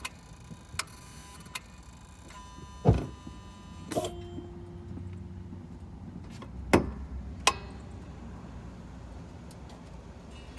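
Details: Mitsubishi Delica D5 diesel, engine bay right after engine switched off: sharp isolated clicks and brief whirs every few seconds, an unknown circuit or actuator cycling; owner unsure of its purpose.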